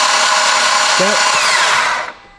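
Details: Mitsubishi Evo X brand-new engine on the starter with no spark plugs or coils and the fuel pump fuse pulled: a fast, even whir with no compression pulses, then winding down. It spins freely and builds plenty of oil pressure, about 40 psi.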